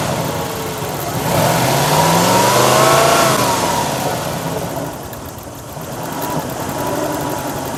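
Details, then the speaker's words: Lexus LS400 V8, new power steering pump, system just flushed, engine warming up: revs up and back to idle with only faint light pump whine while steering lock to lock; earlier whine gone; power steering pump normal. "The engine is warming up, and as you can hear, all of a sudden the power steering pump went quiet. So I'm sort of happy right now."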